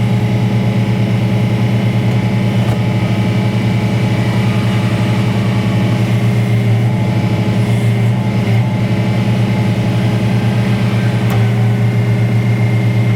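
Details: Detroit Diesel-powered car crusher whose hydraulic tank was found holed by a bump, which explained why it held so little oil. A steady diesel drone with a low hydraulic hum and no knocks or surging; running normally.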